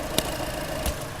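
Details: Skoda Fabia diesel idling during blow-by check: soft, even low hum with no knocking or rattle, a couple of brief clicks; engine quiet and healthy.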